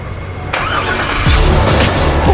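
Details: 2001 Chevrolet Corvette C5 convertible bought from Copart, first start on the trailer: engine catches right away and settles into a steady even run, building slightly; healthy start with no knocks or misses.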